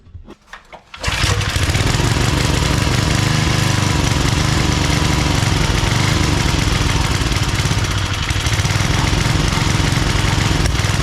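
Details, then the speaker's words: Old Briggs & Stratton 5 hp wood splitter engine after carb work, main jet adjusted a lot, run without air cleaner, choke seems to float; starts after a couple pulls, runs rough with speed wavering, hunting. Owner suspects overly sensitive governor. "It seems like the governor is like overly sensitive or something. It's probably a reason why someone got rid of this."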